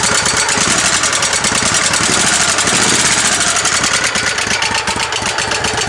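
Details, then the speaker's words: Kohler CV20 20hp OHV V-twin on a tow tractor with new carburetor, idling after an exhaust leak fix; fast light tick about four per second over rough idle; owner suspects a valve issue, not confirmed; no exhaust leak felt. "I'm hoping the ticking went away, but I highly doubt it. Like I said, I think it's valve issue or something of that sort, but let's see anyway."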